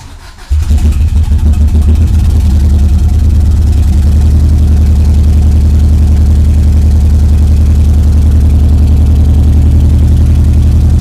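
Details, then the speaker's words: 1991 Subaru EJ22T with EJ20G DOHC head and RobTune EJ20G ECU, first start: catches into a lumpy, stumbling idle, missing on one cylinder; running very lean, cause not yet found. "yeah it sounds like it's missing on one of the cylinders"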